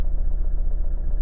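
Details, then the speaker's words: Toyota RAV4 D4D diesel, warm engine on a warm day, with the MAF sensor still connected before cleaning; it has an intermittent check-engine light after an EGR repair. Even idle throb at about 900 rpm, slightly higher than expected. "900 rpm just under a thousand okay that is not a cold engine start the engine has been running for a bit it's a nice warm day it's running a tiny bit higher than i would have thought"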